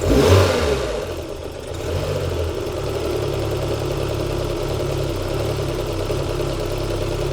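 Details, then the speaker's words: Citroen BX 16V with vacuum line to the fuel pressure regulator pinched: uneven idle settling to a steadier beat, dying when released; petrol coming out of the vacuum line, regulator diaphragm leaking. "And the reason it's doing this is very simple because if I take that off, there's petrol coming out of the vacuum line. It's not meant to do that."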